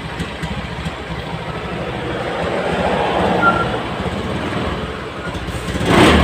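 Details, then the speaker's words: Honda Scoopy FI scooter with no MIL blinking stutters badly and loses power when throttled, engine chugging and stumbling; fuel pump pressure was tested normal. "Ini motor ini kasusnya brebet brebet nya parah ya ini langsung saja kita cek"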